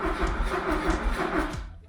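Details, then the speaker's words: 1977 Fiat 124 Spider barn find, sat nearly 25 years, bad starter fixed, gas squirted into the carburetor: the starter spins the engine evenly for about two seconds but it never fires; spark to be checked next, and no fuel is seen coming through the filter. "Oh, nothing there. Nothing. Well, guess it's time to check the spark, maybe."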